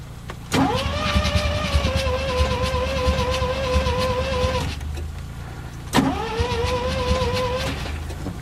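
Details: First-generation Mazda RX-7 with a spare ECU swapped in to test for fuel pump not coming on; pump now runs but starter whirs about four seconds, stops, cranks again, engine spins but never catches after plugs pulled to de-flood; battery low, cause unconfirmed.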